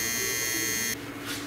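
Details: 2005 BMW R1200GS during ABS brake bleed without scan tool: steady high electric buzz runs evenly about a second then cuts off cleanly; ABS pump running normally.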